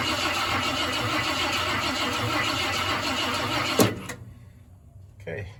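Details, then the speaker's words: 1972 Ford F-100 Ranger XLT, sat over 10 years, cranked by jumping the starter solenoid with a screwdriver before adding starting fluid; even cranking just under three beats a second, spinning freely; normal cranking. "wow that sounds pretty good so it's cranking over so let's just cranked it over for a bit before we decide to put some starting fluid in there and just make sure we try and pick up some some oil pressure"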